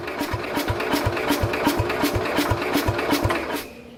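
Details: 1969 Bolens 850, Wisconsin S8D engine idle 3+ years, on battery charger with a little throttle and choke: slow, even cranking about 160 a minute, almost catches but never fires; owner suspects very low compression. Cranks but won't start.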